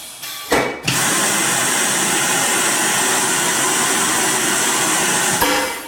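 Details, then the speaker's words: Piab piFLOW vacuum conveyor during a basic operation check: sharp air shock back pulse, then the pump runs as a steady, even hiss until shutdown while the flap opens; operating normally. "what we really want to key in on is that the pump starts the air shock back pulses and the flap opens and closes correctly"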